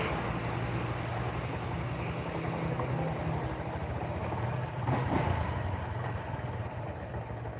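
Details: Small motorcycle engine idling with a steady, even low putter and no knocking, heard after repairing a piston that had been installed backwards, which had caused rough knocking; the engine now sounds standard.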